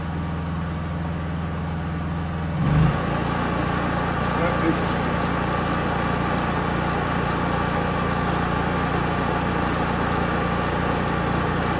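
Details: Honda EU3000is inverter generator with a Nashfuel propane/LP conversion kit installed: steady, even drone with a constant low hum and no hunting, surging or misses; it runs smoothly on propane.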